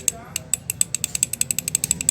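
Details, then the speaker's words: Car AC compressor turned by hand with sharp metallic clicking about nine times a second; noisy only with AC on, cooling still fine; gaps at worn piston shoes let all five pistons knock. "berisik, bro. Itulah masalahnya. Dalam istilah mekanik, suara tersebut adalah suara berderak."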